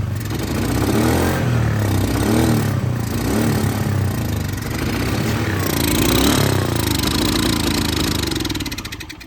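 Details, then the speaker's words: Neglected 2010 Polaris Ranger RZR 170 after sitting for years, first run with airbox off: loud, uneven, lumpy running with slight clatter and smoke smelling of old fuel; owner suspects missing airbox; rough running engine. "does run and it runs a little bit funny I'm guessing it's cuz the airbox is not on there and it does throw some smoke but it doesn't smell like burned oil it smells like old fuel"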